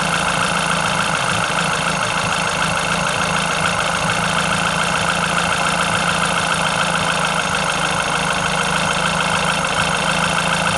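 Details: Renault Clio RS engine at steady idle, with an uneven, slightly clattery tapping over a buzzy mid tone; abnormal engine noise, no clear fault identified.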